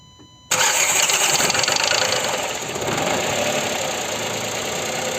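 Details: Sandero 1.0 12V three-cylinder on its first start: harsh clattery engine rattle for the first couple of seconds, then a smoother idle. The noise happens only once at first start, not on a restart.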